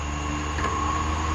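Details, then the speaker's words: 2003 shop fan, repaired after it locked up and hummed without spinning, on high speed after lubrication: a steady low hum with a clean, even whir and no squeal or rubbing. Normal fan running. "hear the motor Ram up a little bit but yeah thanks for watching guys hope this helps"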